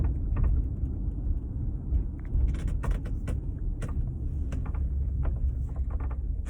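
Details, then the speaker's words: 2016 Audi Q5 Premium Plus, four years old with 19,000 miles, driving on the road: road rumble with sharp irregular creaks and snaps from overhead; panoramic sunroof creak, diagnosed as failing sunroof rails. "and this is a sixty thousand dollar four-year-old car with nineteen thousand miles on it again this is the road and that's the sound of the sunroof"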